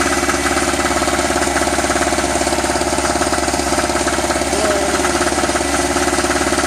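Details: Eagle River ERG1200 two-stroke generator after first start, possibly degraded oil: steady rapid knocking over idle without easing off; sounds under-lubricated, cause unknown, owner plans to drain and check the oil.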